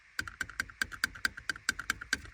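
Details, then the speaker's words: VW Golf Mk5 1.6 FSI while driving: sharp plastic-and-metal clicks, about four to five a second, from a faulty front seatbelt buckle rattling; the fix is replacing the buckle. "This rattling while driving is very annoying."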